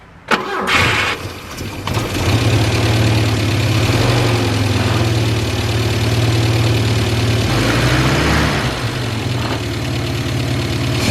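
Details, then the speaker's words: After replacing the timing gears on a Volvo project car, with the timing cover found to be the actual cause and the radiator topped up with water, it cranks quickly and catches cleanly. It settles to a steady, even, low-humming idle with no squeak or squeal: normal start and idle after repair. "It works. Cool. Okay, so after all, it was the timing cover that was the issue. But we have no more squeaking or squealing, so that's a good sign."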